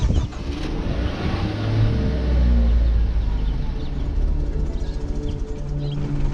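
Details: 2014 Ford Focus with 200,000+ miles, unresponsive throttle pedal and code P2111: petrol engine idles with an uneven, lumpy low rumble that never smooths out; throttle body actuator suspected.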